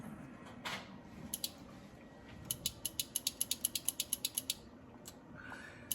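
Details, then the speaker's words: 1973 Ford Mustang Mach 1 new horn relay bench-tested with a test switch before final wiring: crisp quick run of about a dozen clicks, the relay switching normally. "every time I push a button and it clicks on that is when it will send current from the battery to the horns so that's what that is doing"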